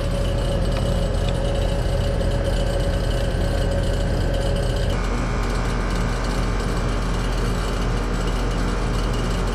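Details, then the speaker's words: AC condenser with 244 V supply: a rattly clatter like rocks in a can over the steady hum, compressor running with the system bone dry of refrigerant. Compressor rattle from low refrigerant. "that compressor does not sound good I don't know if y'all can hear that sounds like rocks in a can this system ain't got no gas in"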